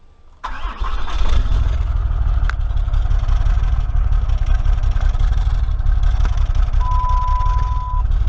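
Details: Truck with a 6.7 Cummins diesel, 197 on the odometer, with a new studded head and a second-gen turbo swap. It catches after a short crank and settles to a deep idle that surges unevenly with a nasty lope. An injector problem is suspected but unconfirmed.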